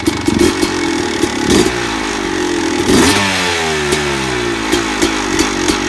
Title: Rm250 rattling noise